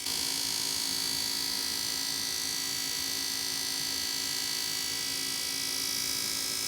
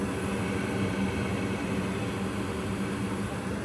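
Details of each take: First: Goodman gas furnace GMS80804BNBD before repair: constant high-pitched screech over a low hum, audible through the whole house, from a defective draft inducer fan, fixed by replacing the inducer fan/blower with gasket. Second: Goodman gas furnace model GMS80804BNBD after replacing the screeching draft inducer fan: a steady, low, even hum with a faint tone underneath, running normally and quietly.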